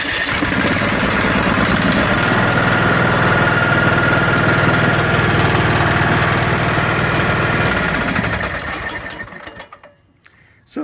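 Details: Ariens 20 hp, 42-inch-deck lawn tractor after spinning the engine past compression and resetting the starter Bendix: the small single-cylinder putts at a steady beat of about four per second, then winds down; running normally, owner may still replace starter.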